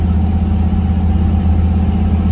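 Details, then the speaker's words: Even, low engine drone with no surging, knocking or flare from a truck's 440 big block with a newly installed Holley Sniper EFI, cruising steadily after a TV/kickdown cable adjustment improved shifting. "so we made a tv adjustment in the cable and got it shifting a little better this thing just cruises like the dickens i'll tell you"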